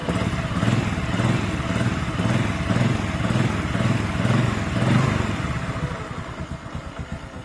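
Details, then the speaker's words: 125 engine cold, fitted with a new Vario 125 piston after new NPP cylinder block still gave a piston-slap-like tek-tek; now a steady, even low-pulse idle with no tapping, noise gone, normal idle. "Oke, ini mesin dingin ya. [Musik] Lihat, Guys, suara tak-taknya hilang ya, Guys."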